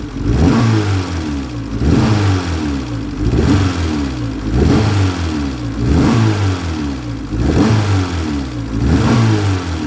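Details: Engine misfire with exhaust backfires: repeated throttle blips roughly every two seconds with a ragged, popping exhaust note; owner suspects a visible exhaust leak may be the culprit, not confirmed.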